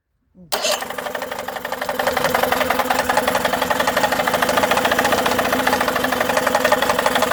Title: Tohatsu 18hp 2 stroke knocking sound